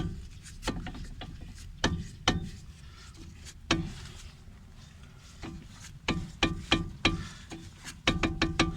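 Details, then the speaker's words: Lada Kalina front suspension knock: irregular sharp metallic knocks as the brake caliper is rocked by hand, caused by worn caliper guide pins; ball joint checked and fine, and the knock is most noticeable over small bumps. "выработка суппортов направляющих. Направляющих суппортов выработка. Вот поэтому так стучит. На мелких кочках особенно замечается хорошо."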